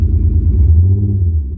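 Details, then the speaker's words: BMW E46 drift build started after detail cleaning and washing, idling with engine still wet: deep rumble with uneven, stumbling beat; misfire at idle, hoped to clear once dried out. "I don't know if you can hear that but it kind of already sounds like it's having a bit of a misfire"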